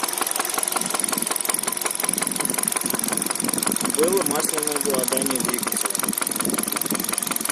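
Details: 2013 Hyundai Solaris, 140,000 km, at idle: fast steady ticking knock about three a second from the top end; owner suspects a valve, unconfirmed.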